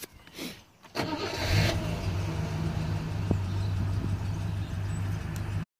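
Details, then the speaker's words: Rover P6 with an intermittent slight delay on starting; the owner thinks it is shoddy wiring into the starter. A short pause, then the starter cranks briefly and the engine catches and settles to a steady idle: delayed starter engagement. "It's working now. Sometimes there's a slight delay on it. I think it's the word. Therefore, fire it up."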